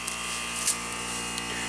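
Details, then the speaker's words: Bryant heat pump outdoor unit in heat mode (64°F inside, 36°F outside): steady electrical buzz with no fan whoosh. The compressor runs while the outdoor fan doesn't, which stops heat transfer across the coils. "let's go outside so here's the outdoor unit we can hear something buzzing inside"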